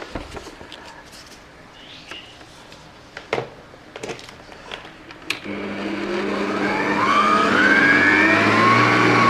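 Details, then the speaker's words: Grande Turbo EHM9595 mixer test after installing version 2 sync belt, safety switch and bottom cover: handling clicks, then motor spins up into a smooth, rising even whir with no slipping or rattling; working normally. "Ternyata grande bekerja dengan normal."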